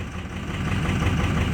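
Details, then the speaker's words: 2006 Ford F-250 Super Duty 6.0 Power Stroke diesel, block heater plugged in ~5 hours, started two minutes earlier, already fairly warm: low lumpy uneven idle; still running rough with loss of power and hard starting, same unresolved problem. "running rough again so i can tell you right now it's the same problem that i had that i'm having"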